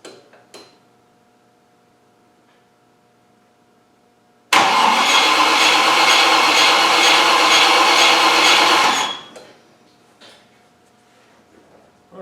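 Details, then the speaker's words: Rover V8 with hard starting: starter spins about four seconds but never fires and no fuel pump hum is heard; faulty oil pressure switch cutting the fuel pump. "now I've put the wire back into the harness turn the ignition on and see what happens again I don't know I can't hear a pump"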